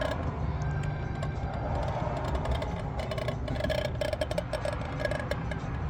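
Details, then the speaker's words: EF sedan engine switched off: faint quick uneven ticking over a low hum; owner guesses something settling, maybe rubber, cause unknown. "I think it's just this thing settling some rubber doing something I don't know something"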